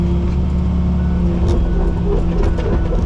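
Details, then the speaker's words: Diesel tracked machine being test-run at an auction while tracking: deep, even rumble with no knocks or misses, just faint clatter. Everything sounds good with no engine codes. "yeah everything sounds good there all right no engine codes or anything i like it"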